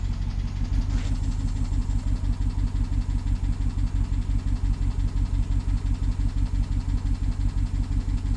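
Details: BMW 750Li N63 after fuel injector and high-pressure fuel pump replacement: steady idle with a rhythmic uneven pulse and a light tick, consistent with a misfire; owner wonders if it is the timing chain, unconfirmed.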